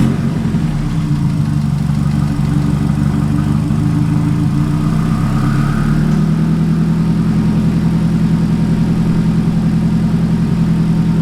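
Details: Nissan 180SX engine being checked after an accident, as the donor for a D21 Hardbody drift truck, first start on a newly fitted, primed Walbro 255 fuel pump replacing a failed AEM pump. Engine catches and settles into a steady, even idle without knocks or misses. Normal idle.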